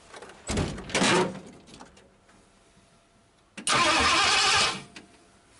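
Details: 1959 Ford Galaxie Fairlane 500, off the road since 2010, first start attempt with the carburetor throttle stuck. Two short cranking bursts with brief catches but no running: ignition fires but no fuel is delivered, a crank-no-start from fuel starvation.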